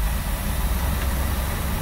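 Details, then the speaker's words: 1967 Travco 220 RV with big block Chrysler, parked since 1988, now running: low, smooth, even rumble with no knocks or ticks under light rolling, 50 lb oil pressure; normal healthy idle. "all right it's running good it's yeah got 50 lb of oil pressure camera guy all right yeah we're running good"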